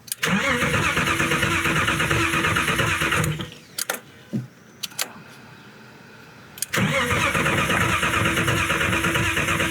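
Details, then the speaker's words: Boosted BMW E36 on its first start after engine work, low on gas: steady cranking of about three beats a second, a pause, more cranking, never catches. Cylinders 3, 4 and 5, as best recalled, get no ignition signal; owner suspects an electrical fault. "We did some digging to figure out why the car didn't want to start. And basically, it is not running on three cylinders. I think it was three, four, and five. It's just not getting any signal."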